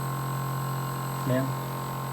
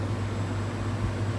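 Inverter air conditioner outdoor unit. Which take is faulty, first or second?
first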